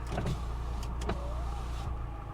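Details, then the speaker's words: Salvage auction car with battery previously drained dead: an even, smooth power window motor whir for a couple of seconds with steady pitch and no grinding; the windows work normally. "the windows work"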